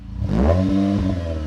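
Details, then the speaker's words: Repaired old Jeep with a new custom non-standard muffler, revved: engine blips up and settles into a steady, even burble with no rattles or blowing leaks; exhaust sounds healthy. "did you not hear this thing screaming I hope the microphone picked that up it sounded kind of cool actually sounds like a fine tun machine if you ask me"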